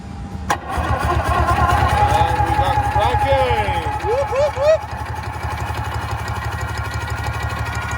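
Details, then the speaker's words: Sea-Doo XP jet ski with Rotax 657 engine, unrun about 15 years, battery hardwired to starter and grounded to block: starter spins the engine with an even, firm pulse about three and a half a second, no misses; good compression. "faster you got good compression the road ax is healthy right"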